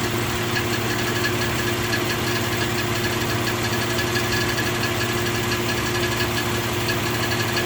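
Steady idle with a fine, fast light ticking riding over the engine hum; a top-end tick whose source can't be pinned down by ear.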